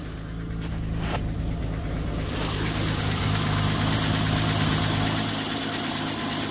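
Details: 1988 BMW 325ix E30 used wiper motor from parts car bench-tested before fitting: steady motor hum over idling engine, stepping up in pace as speed setting changes; motor healthy.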